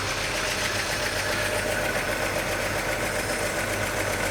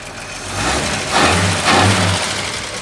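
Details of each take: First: 1941 Chevy coupe six-cylinder, new generator and fan belt, steady even idle with a fast busy beat and no misses; idle a little high, wants carb adjustment; slight hiccup, owner suspects sticky valve or excess valve lash. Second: 1941 Chevy coupe straight six on its longest run yet after generator and new fan belt install, idle a little high, carb needing adjustment, possible sticky valve: short rev blip rising and settling smoothly, no stumble; normal running.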